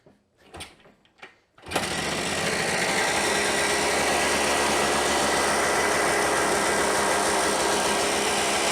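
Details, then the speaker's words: Kawasaki KD175 after a carburetor clean and rebuild, on an auxiliary fuel tank: a few clicks, then it catches and settles into a steady, even high-pitched buzz with no stumbling; running cleanly. "well as you saw we lost audio or as you heard we lost audio it did start and run"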